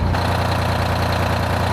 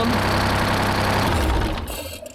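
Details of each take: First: 1975 Peterbilt 359 heavy haul, Detroit 12V71 V12 two-stroke diesel, after fixing a fuel problem that left one bank cold: deep, fast, even idle with steady firing beat, no skips or knocks, heat even side to side, good oil and fuel pressure; normal idle. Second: 1975 Peterbilt 359, Detroit 12V71 V12 two-stroke diesel, fires right up but entire right bank stays cold: loud, uneven clattering idle that dies away; one bank not firing from low fuel pressure.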